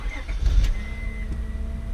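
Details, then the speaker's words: 2002 Acura TL starting after alternator replacement, after sitting about a week: a quick crank settles into a smooth, steady idle with a smooth alternator whine, and the battery light goes off. A normal engine start. "i can hear it whining right now it's the sound of the alternator sounds smooth though"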